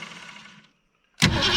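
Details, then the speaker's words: Old car, first start in many years, gas poured into the carburetor from the top. Cranking fades and drops out each time it tries to fire, then it catches and roars. The old starter is disengaging (jumping out) during cranking. "Every time she goes to fire, the old starter jumps out."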